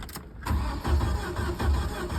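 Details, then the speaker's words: 1994 Jeep Wrangler YJ, sat about 10 years, old battery fitted: starter spins the engine with even cranking pulses but it never catches, check-engine light doesn't come on; crank-no-start traced to no power reaching the injectors, automatic shutdown relay and fuses suspected. "cranking but no no check Eng lights coming on the dash I'll show you guys what I sound as of so far"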